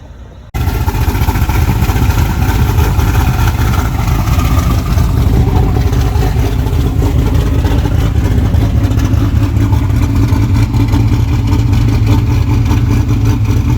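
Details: Freshly built truck engine, V8, replacing one hydrolocked by coolant, built for boost, running at about 5 psi on a cold day. Strong, even rumble with clean revs rising and falling, no knocks or misses. Runs healthy.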